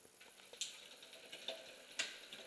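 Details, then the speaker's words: Bicycle rear derailleur after backing off the high limit screw: light clicks and ratchety chain patter shifting back and forth between 8th and 9th gear with no grinding or skipping; now shifting smoothly. "you can see now that it goes smoothly from 8th to 9th back and forth fairly smoothly and is working correctly now"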